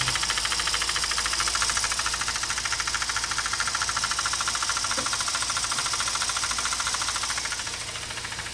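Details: Mazda RX8 231 bhp rotary, SSV removed and cleaned: at idle, a light, regular knocking about twice a second from the intake area. Owner suspects the SSV actuator link and that it needs a new unit or a rebuild.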